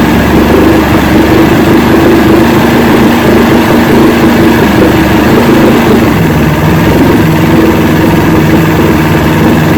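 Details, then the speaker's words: 1970 Evinrude 85hp two-stroke outboard, hydro-electric shift, about 50 years old, new water pump impeller, run in a water container after shift tests: loud even idle drone, no misses, knocks or surging; carburetors judged good at idle, full throttle untested. "i'm uh i'm happy with this i think the carburetors are in good shape at least at the idle the only way to tell i guess is get on the boat and do some full throttle and see what she does"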